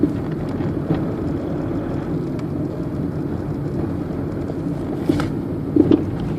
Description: Knocking noise from a worn anti roll bar link 2005 citroen berlingo van.